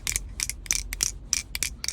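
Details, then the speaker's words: Sharp, irregular plastic clicks over low road rumble while driving, mistaken for suspension knock; the cause was a marker pen loose under the cabin floor mat. "еду сечас поднимаю коврик А у меня маркер лежит под ковриком который в процесе издаёт вот этот вот мерзкий звучок"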